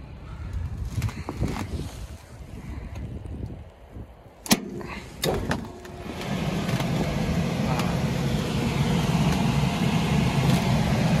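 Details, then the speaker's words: Lennox package rooftop unit after replacing seized, noisy blower bearings: belt-driven blower spins up to a steady even whooshing hum, smooth rotation; slight vibration only because side panels are open, motor on low, belt tension fine. "now that's looks like a smooth rotation but the thing is uh the B is vibrating that because all the panel are sides are open and the motor is running on full low"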